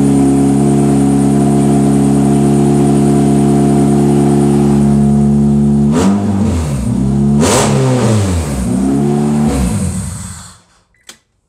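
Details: 1996 JDM Honda CR-V RD1 AWD with K24A3 swap on Kpro after TPS calibration, gearbox just filled, no exhaust fitted; steady even idle, several quick blips returning cleanly, shutdown; normal idle and free rev.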